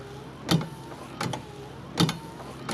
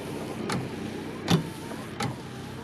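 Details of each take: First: 1994 first-generation Dodge Dakota after a wiper motor replacement with the linkage reattached: wipers running with a sharp metallic clunk at each end of the stroke, about forty a minute, over the motor whir. Clanking remains from the wiper linkage. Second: 1994 Dodge Dakota with a new aftermarket wiper motor, reinstalled and running on high speed: even swish-and-thump about every three-quarters of a second over a soft motor hum. Speed similar to the stock motor; normal operation.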